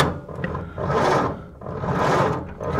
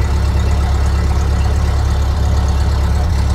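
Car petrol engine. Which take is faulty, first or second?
first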